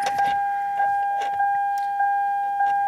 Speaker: that is the sound of a low battery if you don't know what that sounds like that's what that sounds like that's a low battery 100% if you hear that noise you got yourself a low battery